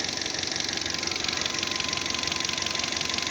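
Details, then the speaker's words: Fiat Panda 1.2 after a head gasket repair (coolant had been pushed from the reservoir by exhaust gases): an even, quick ticking idle at about 200 beats a minute with a faint steady tone; the engine idles nicely. "silniczek sobie pracuje po naprawię bardzo ładnie"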